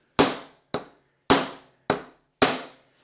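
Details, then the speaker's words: Mercedes W126 300SE front hub refresh: five sharp hammer blows on a bearing race driver ring brightly, the note changing as the new outer bearing race bottoms out in the hub, fully seated. "one outer bearing race installed you can hear the change in note once it hits Rock Bottom so to speak"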